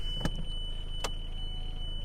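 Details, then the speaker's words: 2010 Renault Laguna with a parasitic battery drain traced to the radio, not the handbrake: over a low idle hum, a few sharp clicks and short motor whir as the automatic electric handbrake releases when put in reverse; works normally. "So, we'll start it up >> and we'll go in reverse and the handbrake comes off"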